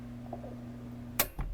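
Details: Well pump short-cycling: pressure switch cuts in near 40 psi and out at 60 psi and works properly, but the gauge shows pressure slowly dropping. Low motor hum ends with a sharp switch click as the pump cuts off; the cause is still suspected.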